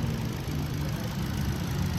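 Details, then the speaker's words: Ford EcoSport petrol engine at idle with the check engine light on: an uneven, lumpy low throb and shaking from a misfire, with spark plugs to be checked first. "Pero pag ganyang Miss fire basic naman po muna ang uumpisahan natin"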